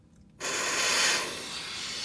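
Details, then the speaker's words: Tesla Model X, air compressor blowing at the window seal: sudden sharp, loud, airy hiss that holds steady when the air reaches the seam where the glue wasn't bonded well. Wind noise from a window seal air leak. "and as soon as he gets up into that area, it's really pronounced, really super pronounced."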